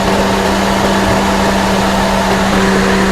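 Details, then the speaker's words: 2015 Mercedes-Benz GLK idling, cooling fan roaring loud and steady like an airplane, heard with door open and under hood, no codes; temperature sensor sought as possible cause; cooling fan running constantly at high speed. "well even if I go out of the car just opening the door I can hear loud noise so I'm just gonna go into the hood and see yeah"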